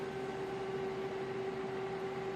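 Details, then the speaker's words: Bitmain Antminer S9 at power-up, no internet connected: loud, even fan rush with steady mid-pitched hum, no ticking, rubbing or wobble. Miner fans spinning up healthy. "it sounds really beefy, guys."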